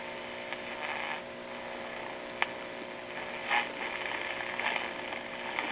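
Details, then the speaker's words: RCA tube radio with a Voice of Music record changer, after the loop antenna was remounted away from the chassis: only a faint steady mains hum with small crackles. The earlier motorboating, oscillation and squeal are gone, so the radio now runs normally. "you know what I think separating the loop are moving the loop and turn away from the chassis helped out the motorboating situation it's no longer doing all that oscillating and motorboating and squealing and it was doing before"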